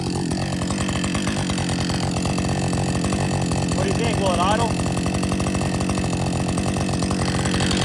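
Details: Warm Husqvarna 562XP chainsaw after dealer software reflash for dying when hot and stumbling; steady, fast buzzing two-stroke idle holding even without sagging or stalling. Normal idle.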